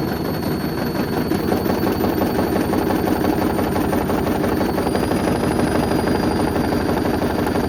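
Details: Hoover Link HL1682D3 washing machine with a badly damaged cabinet and a twisted door seal, on spin. Loud continuous clattering and banging with a thin whine above; the whole machine rattles, yet it still works.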